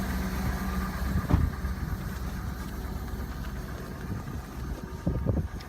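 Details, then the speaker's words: Cadillac Northstar engine at cold start in snowy winter weather: rough cold idle with harsh, uneven knocking under exhaust rumble and wind; knock of unknown cause. "Good Lord, it's knocking. Dad, you got it back. It's knocking pretty harsh. You hear that?"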